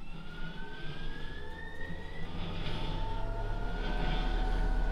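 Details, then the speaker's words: Fisher & Paykel dryer, bought used about 15 years ago, after main bearing replacement for noise: steady low drum hum with exhaust air rush and no knocking, grinding or squeal; running smoothly with new bearing. "so that sounds a whole lot better"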